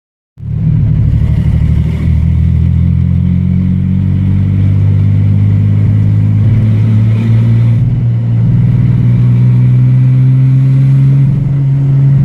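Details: Ford Ranger engine: deep rumble with uneven stumbling beat throughout; persistent misfire, cause not found despite a long list of parts changed.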